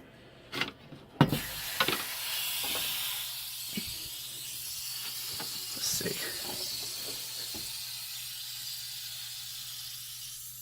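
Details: Steady airy hiss under a few sharp knocks from handling while a hot water heater tank drains; the drain valve won't stop running and the owner suspects something was damaged; cause not clear.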